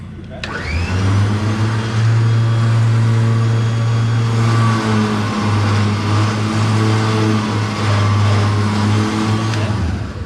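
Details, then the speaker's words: Car trailer electric winch pulling against two people: loud low drone sagging and straining unevenly as the line takes load; labouring more than it should, cause unknown, voltage unchecked, wiring previously troublesome. "really shouldn't be struggling that much with you pulling off it what's making a hell of a noise"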